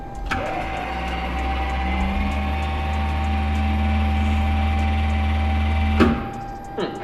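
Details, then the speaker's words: Old Mercedes 300D, abandoned 10 years in a factory basement, running after starting easily on choke: steady low hum with faint even whir as the air ride lifts the body about an inch; system works normally. "हाँ यह इसे लगभग एक inch तक ले जाता है यह बहुत ही अजीब है यह बहुत ही पागलपन है"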